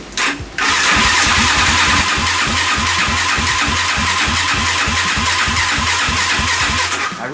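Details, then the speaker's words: Lifan 163FML 200cc engine on the DoodleBastard go-kart, no mufflers, choke on, push-button start; steady starter cranking at about three pulses a second for seven seconds but it never fires, despite fuel being present. "really thought that would have fired huh I wonder what's wrong"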